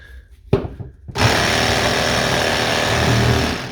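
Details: Shear Cordless Mk2 battery clipping shears after repairing a faulty switch with a cable tie and glue: a single click, then the motor spins up to a steady, even buzz that holds without stumbling before winding down. Normal running.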